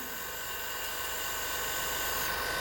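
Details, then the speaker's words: Home-built Farm Boy hit-and-miss model engine, cylinder pressurised with a small air compressor: steady high hiss of air bleeding past the intake valve; the seat leaks and needs relapping. "so the seat on the intake valve isn't great and just feel a bit of air coming out so that will need to be relapped"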